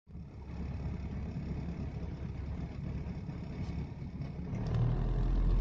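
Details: Rover 214SLi K-series: an uneven, lumpy low rumble with a loose pulsing beat, causing heavy cabin vibration and poor throttle response between 1000 and 2000 rpm that improves above that range; owner suspects a misfire, unconfirmed.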